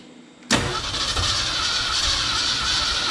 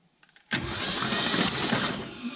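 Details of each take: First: 1969 Ford F-250 sitting since 2001, engine previously stuck, transmission fluid in cylinders: steady cranking with weak uneven catches, firing on only a couple of cylinders; suspected fouled spark plugs or low compression, or both. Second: 1969 Ford F-250 V8 sat since 2001, engine was seized and freed with transmission fluid, spark plugs out, cranked on test switch: starter turns briskly and evenly, no dragging or grinding; healthy cranking despite starter buried under header.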